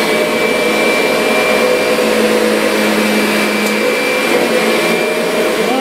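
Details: Kirby Sentria vacuum after impeller replacement, loose carpet having stalled the brush roller: strong even motor roar with steady high tone, no rattle or wobble, running smoothly and healthy.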